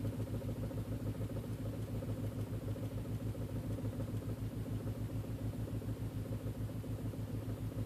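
Low idle with a pulsing, slightly uneven beat about three times a second; the engine is idling rough, cause not pinned down.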